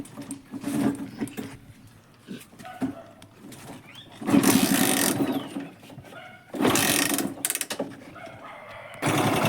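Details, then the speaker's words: Hero Honda CD Deluxe motorcycle, kick-started, previously rebuilt: loose, uneven clattering in bursts over a thin idle as the timing chain moves up and down because a 10 mm tensioner nut went missing; oil leaking out; timing chain rattle. "इसमें जो मैंने बताया था ये 10 number का नट इसमें गुम हो गया और इसी का वजह से टाइमिंग का जो चैन है टाइमिंग का जो चैन है वो अप एंड डाउन हो रहा है और इसका साउंड क्वालिटी अच्छा नहीं आ रहा है"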